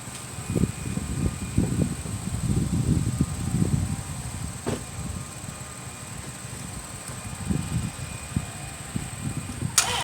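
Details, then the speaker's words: 1998 Dodge Grand Caravan, 80,000 miles, headlights on: sharp click then fast clicking bursts, engine won't crank; lights dim, indicating dead battery. "so you heard it i have a click and no start"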